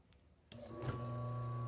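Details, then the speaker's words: Maytec fan motor on speed 1 after repair of a shaft that would not turn and made noise: clean, steady hum with no scraping or rattle, and the shaft now spins freely without binding. Normal running. "Miren, ya está funcionando. Ya no hace el ruido y la flecha ya gira libremente. Ya no se amarra."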